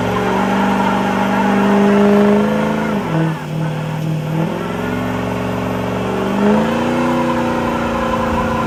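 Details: Diesel 6.0 before rebuild, long-running misfire: idles and revs with a lumpy, uneven beat that stays through the rev change; persistent misfire, cause not yet known.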